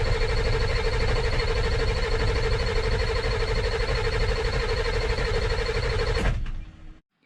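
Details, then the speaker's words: Rusty 2000 Ford F450 dump truck that wouldn't run, cranked after a part change. Steady starter whine with slow, even cranking pulses for about six seconds and no firing. Crank, no start: air entering the fuel bowl. "So I chased problems after problems, but once I got high pressure oil, I was noticing I was getting a lot of air in the fuel bowl."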